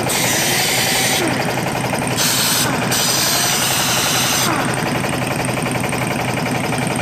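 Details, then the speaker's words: Old pneumatic air impact wrench after cleaning, regreasing and reassembly: fast, steady rattling hammer blows about three to four per second with even force; working normally, faster in reverse. "it's working and as I suspected that it will pop out for the air pressure it works a lot faster and reverse though"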